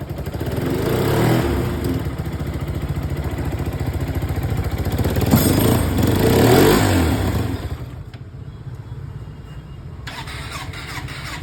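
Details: Hyosung 125cc/250cc motorcycle engine after timing chain adjustment: idles with an even beat and revs up cleanly, with no ticking or rattle.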